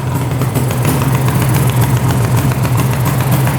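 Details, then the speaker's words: 1974 Suzuki GT750 water-cooled 750cc three-cylinder two-stroke, 21,716 miles, barn-stored 30 years: idling after the carb float tab was bent to shut off sooner, no carb leaks; steady, even burble without hunting or misses, normal even idle. "Oh, awesome. Idling even."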